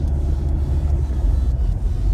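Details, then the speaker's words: Mk5 Ford Escort on the road after a new exhaust replaced the old 'curly' one: even, deep rumble with no popping or uneven pulses, no rough idle, smoother and quieter, no more weird farting sound; engine and exhaust running smoothly. "No, no rough idle, no nothing. Smoother, quieter. Fantastic. Right. Yep. Doesn't sound weird anymore. Doesn't make a weird farting sound."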